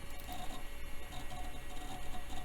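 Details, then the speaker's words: Same old Compaq system's hard drive later in the boot: soft regular seek ticks over a steady spin-up whir, with no grinding or clunks; it now sounds like it's working fine. "either way I'm absolutely amazed that that hard drive made it through sounds like it's working fine now"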